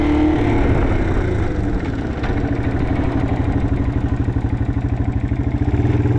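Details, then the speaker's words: 1987 Yamaha TW200 single-cylinder on a test ride after a no-start repair: sharp, raspy puff on every firing pulse, louder than it should be, from an exhaust leak at the header joint; otherwise runs great. "The exhaust is a little bit annoying, so I don't really want to ride around the neighborhood too much. Need to get that taken care of right there because it it is annoying, but it runs great."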